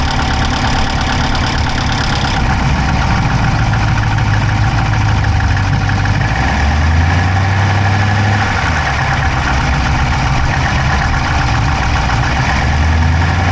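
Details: Dodge Charger Hemi V8 at idle, camera inside the engine bay on the driver's side: quick, light clicking close to the engine over a steady low idle; no smoke from the pipes, owner doubts a dropped valve, source unknown.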